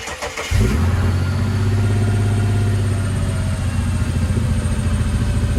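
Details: Ford Barra six-cylinder, just jump-started: it catches and runs really rough with a lumpy exhaust and a high idle near 2000 rpm though not cammed; suspected vacuum leak from the intake manifold gasket.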